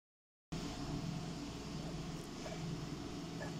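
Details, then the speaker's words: Toyota Innova auxiliary (condenser) fan making a steady loud whirring roar with a low hum from a worn internal motor bearing. It still runs but is noisy, AC noisy and engine overheating; the fan assembly needs replacing. "Ayan po siya oh maingay na siya maingay na yung kanyang bearing sa loob"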